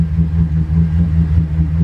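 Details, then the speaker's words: 1999 Bayliner 3055, twin 5.0L MerCruiser Thunderbolt 220 HP, about 1000 hours, starboard engine dead cold start, temp gauge not reading; fires right up, deep steady low rumble with even beat, no knocks or misses; normal cold start idle. "quick look at that temp gauge is not even reading at all here we go pull that throttle right back fired right up"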